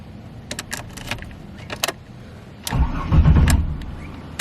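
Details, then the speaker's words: BMW E46 with turbo Buick 3800 V6 swap, new battery, first start attempt: ticking and clicks, fuel pump heard priming, then short uneven cranking that never catches; crank no start, owner suspects fuel not reaching engine. "oh well that's pretty good sign engine is turning over but for some reason it's not starting i can hear the fuel pump turning on it's potential that it might not be getting to the engine"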